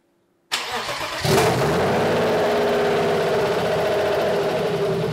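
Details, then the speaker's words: BMW E30 with M50 turbo six on Megasquirt KDFI v1.4, first start after uploading the tune and priming: starter cranks, engine catches in under a second and settles into a steady, even idle without misses. "Now it sounds like it should."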